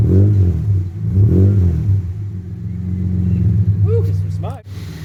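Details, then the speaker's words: AU Ford Falcon with new extractors and high-flow catalytic converter, cold engine: deep six-cylinder burble with light blips below 2000 rpm, smooth, no drone or rattle; sounds better and less droning than the old stock setup. "It sounds better than it used to. Not so fucking drony. Ooh, some freshness coming through there."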